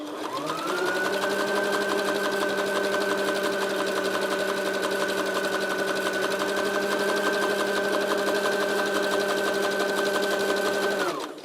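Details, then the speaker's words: Sewing machine test after repairing the zigzag knocking: an even, steady hum with a smooth stitch rhythm on zigzag settings 7–8. There are no skipped stitches or catching, and the fabric feeds on its own. "так зигзаг все отлично без пропусков так и далее восьмерка к не подтягиваем и не придерживаем машина сама все двигает"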